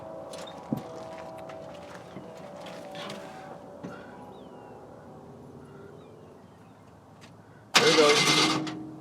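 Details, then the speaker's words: Project pickup with V8, originally about 300 horsepower, dual exhaust: quiet yard, then the starter catches and the engine barks into life with a deep, loud V8 rumble; normal start. "uh-oh it does have that good V8 Rumble originally this had about 300 horsepower and it's got dual exhaust"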